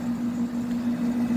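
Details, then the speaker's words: 1992 White-Westinghouse 5000 BTU window air conditioner: steady hum with a clunky, rumbly fan motor, less bad on low; motor needs thrust washers; compressor running hard with the condenser mostly plugged. "you hear the motor is pretty clunky and rumbly you leave on low it's not so bad so it needs thrust washers in the motor"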